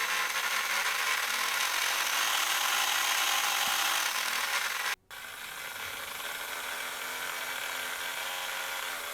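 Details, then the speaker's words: Policar WRX slot car after running in the plastic gear with car polish at low revs: small motor buzzes at a steady high pitch, then runs noticeably quieter and smoother. Gear mesh now quiet. "there we are and that's cut quite on this car right down and I will of course work through all four cars and quen them right down like that so that they're all just the same and not too noisy"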